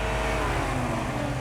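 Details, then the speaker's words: Engine with 140k miles held at about 2,000 rpm: uneven, stumbling drone with severe misfire, shaking badly; fuel-washed cylinder, suspected stuck-closed intake valve. "yeah look how bad you see you can feel a misfire in that motor it's terrible"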